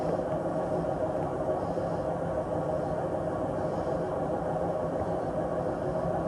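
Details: Samsung WW80J5555FWEU 1400rpm washing machine, 6 years old, during spin: steady low droning rumble with a faint constant hum, no clear knocks; owner suspects worn drum bearings; drum rumble during spin.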